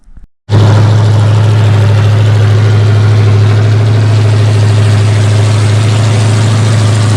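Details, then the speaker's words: Rebuilt 454 Chevy big block from a 1973 Chevelle SS, with new pistons, running on a break-in stand: silence, then strong even V8 burble with regular pulses, no tapping or misfire; engine broken in, some fine tuning still needed. "Guys, the motor's broke in. There's still some fine tuning to do, but all in all, it's a pretty good start."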